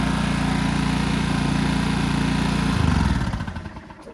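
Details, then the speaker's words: 1980s Honda EX650 flathead generator, dead cold, started first pull on starting fluid: single-cylinder thumps steadily a few seconds, then sags and dies; running lean, not enough fuel, from a sticking choke (choke cable being fixed). "Okay, guys, I'm actually wrong here. In the video, I said that the engine's getting too much fuel. It's actually the complete opposite of that."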